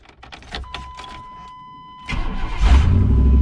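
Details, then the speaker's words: Chevy Blazer that died after jumps and a mud pit, started after replacing the suspected faulty part: it cranks a few times, catches cleanly and settles into a steady, even idle with no knocks. The problem is fixed. "I think we found the problem boys I think we found the problem and we fixed it look at that running good running speed sounds nice sound smooth"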